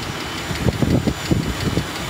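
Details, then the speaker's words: 2013 Jeep Grand Cherokee 3.6L V6 Pentastar idling, heard with hood open: light metallic tick from a failing rocker arm ball bearing, letting the camshaft hit the rocker arm's metal sides; rocker arm to be replaced. "so if you listen for it you can hear that ticking noise so i'm gonna have to tear this thing apart get in there replace that rocker arm"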